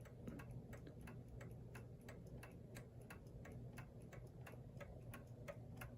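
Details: New Haven Clock Company Horace model pendulum clock, movement about 42 years since last oiling, pallet clean: crisp ticks about three per second with equal tick-tock spacing; clock running in beat.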